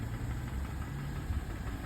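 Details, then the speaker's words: Mercedes E350 M272 3.5 V6, AWD, not fully warm, idle about 600–700 rpm: dull, uneven low rattle starting as revs drop, loudest from the left bank; piston slap, endoscope found hard scoring in cylinder six. "Вот уже бряканье начинается. Все уже брякает, вот обороты у нас, ну еще не до конца прогрелось, 700 где-то 600. Вот уже начинается бряканье."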